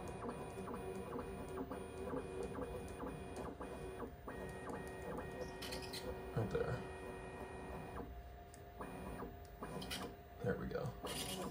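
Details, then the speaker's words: Bambu Lab P1S/P1P 3D printer bed whirrs while moving on the Z-axis, with a high squeak coming and going at certain heights. It is suspected to come from the Z-axis belts under the printer, and 3-in-1 dry lube fixed it. "when you go up and down at certain Heights on the z-axis you'll hear a squeak"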